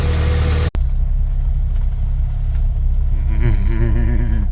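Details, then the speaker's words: Honda H22-swapped EG hatch after the no-start fix (distributor refitted): just started, a deep, even rumble holding steady with no misses or knocks, normal running. "All right, external coil fixture fired right up."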